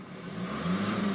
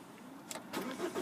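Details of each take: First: Manual diesel Ford Focus Ghia, 133,540 miles: revs swell and fall twice with an airy whooshing noise above 2000 rpm over the rumble, more noticeable when driving; cause not identified. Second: Manual diesel Ford Focus Ghia, 133,540 miles, keyless start with clutch down: short crank, fires first time and climbs to a smooth idle, no dash warnings; clean, healthy start.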